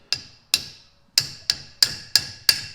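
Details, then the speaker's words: Garage door torsion spring struck with a winding bar to check it isn't bound up: eight sharp taps ringing bright and clear rather than a dead thud, showing the spring is free-moving and fine. "I take myself a winding bar, and I can tell a lot by sound that it's actually moving. But if it just sounds like a thud, like it's super tough, like it doesn't have no spring to it, like right now it's moving, you can't really"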